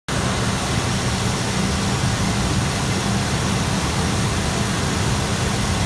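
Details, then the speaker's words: 2000 GMC Yukon 5.7L Vortec V8 with 163,011 miles, no smoke. Steady, even low rumble at idle under hiss, with no knocks, misses or surging; it runs excellent. "163,000 miles. As you can hear, it runs excellent."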